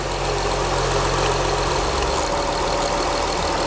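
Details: 2004 Acura TL 3.2L after engine replacement and a fix for a dead cylinder misfire: a steady, even idle with a low smooth hum and no knocks or misses; the check engine light is off and the smoke is burning off.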